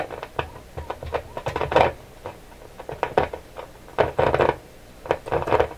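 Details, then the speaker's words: Canadian General Electric KL-96 tube radio, paper capacitors replaced; tapping the table gives irregular bursts of clunky ringing through the speaker, a microphonic tube, probably from a loose shield can. "Something's really sensitive. What is so sensitive on here? This one's microphonic. This tube here. It's a loose can."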